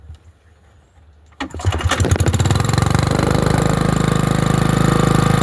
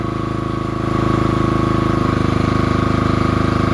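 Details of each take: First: Generator on a cold winter day, fitted with a non-original carburetor and tank, air filter on: after a quiet spell the engine catches and settles into a steady, even idle with a smooth low rumble and no misses; normal running after cold start. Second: Generator, cold start in freezing winter weather: rough, rapid chugging shifting in tone, with uneven popping pulses; intermittent backfire.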